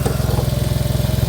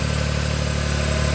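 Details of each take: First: Smart ForTwo 450 with rebuilt engine, gear-change problem just solved, at idle: steady idle with a faint constant whir seemingly from the alternator belt and alternator area. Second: Smart ForTwo 450, rebuilt engine, idling with the alternator belt removed: steady, even low idle with no high whine, so the whine comes from the alternator, water pump or pulley; normal idle without whine.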